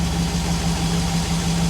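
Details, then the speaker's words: Chevy SSR V8 being checked for an internal engine noise, microphone at the engine bay: smooth, even low hum with steady burble and no knocks or ticks, idling quietly and purring, normal idle. "come up here to the engine I want you to listen to this thing purrs like a kitten"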